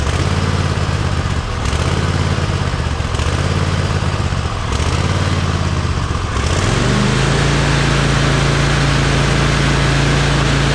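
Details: Cub Cadet zero-turn mower twin-cylinder engine after replacing both ignition coils, one of which had tested weak and intermittent: even, steady idle, then picks up smoothly to a constant higher speed with no misses; running well.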